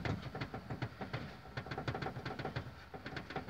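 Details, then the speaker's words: Nissan Versa: sharp knocks and rattles, about three a second over rough road, from behind the rear seat. The cause is a loose plastic strap running corner to corner in the trunk; the noise stopped when the strap was held. "é essa cinta aqui pessoal à cinta de plástico aqui ó que vai de um canto a outro tá ok ela faz só batem muito pessoal bato muito muito muito como roda bastante"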